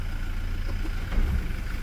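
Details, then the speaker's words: Toyota Hilux at idle after differential reassembly, dash warning lights on: steady idle, then a heavy thump shifting into D; harsh engagement blamed ~90% on a weak battery after sitting unused for days. "tudo isso aqui por incr que pareça esse piseiro todo é a bateria é 90% de ser só a bateria faz esse piseiro todo aqui no câmbio no painel e tudo a bateria tá fraca"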